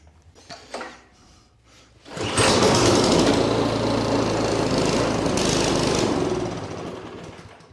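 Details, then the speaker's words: Troy-Bilt Storm two-stage snowblower that sat unused in a garage, switched from full choke to run; after a few clunks the engine starts, runs hard, then sags and fades, a surging problem that only runs on choke. The carburettor is to be taken off. "okay now I'm going to put it down here on full choke I'm going to put it in run bottom line is it's got a surging problem"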